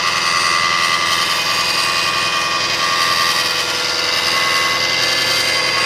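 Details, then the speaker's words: 2005 Kia Sedona 3.5L at warm idle after timing belt, tensioners, idler, water pump and harmonic balancer replacement, accessory belts off: harsh whirring and rattling that starts about a minute after a cold start, goes away with revs and returns; cause unknown. "There you have it. So it goes away when you bring the RPMs up, but then it comes right back."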